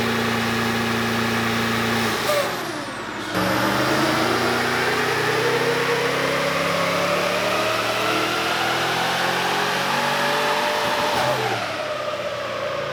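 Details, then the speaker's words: VEE080, a boosted LS V8 drag car. Pull under load with rising pitch drops out around two seconds, then recovers and climbs; the engine is breaking up under boost. Earlier runs made nearly 480 at 14 psi. "so oh right oh guys so we still have a few issues um you can probably hear from the footage it's breaking up it's causing a few issues"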